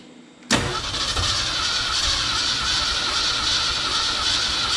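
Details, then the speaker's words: 1969 Ford F-250 sitting since 2001, engine previously stuck, transmission fluid in cylinders: steady cranking with weak uneven catches, firing on only a couple of cylinders; suspected fouled spark plugs or low compression, or both. "probably either that transmission oil got uh fouled at the spark plugs or low on compression or a combination of both but uh it's it's firing on a couple cylinders"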